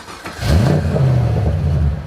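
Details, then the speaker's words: Corvette V8 revving after brake booster replacement: deep rumble climbing and settling through a quick throttle blip, smooth and even with no knocks or misses; sounds healthy. "Oh, listen to it. It sounds so good."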